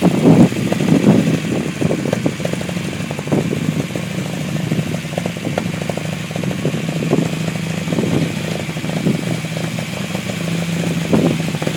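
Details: Unimog 404 first start after new fuse boards and a rewire: engine settles into a steady idle with light throttle blips, no knocking or misfire; normal, healthy running.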